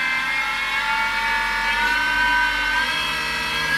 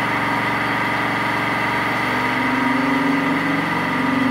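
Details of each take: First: Mini mill with belt drive, motor at 1760, about 12,200 spindle RPM with a 3-inch fly cutter: a high spindle whine with an uneven, wavering buzz in spots from the out-of-balance cutters. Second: Mini metal milling machine upgraded to 1 HP servo motor with toothed L050 synchronous belt drive, 3-inch fly cutter taking single 0.010-inch pass across 2-inch-wide 6061 aluminum; steady motor hum with even cutter chatter, pitch holding without bogging; spindle healthy under load.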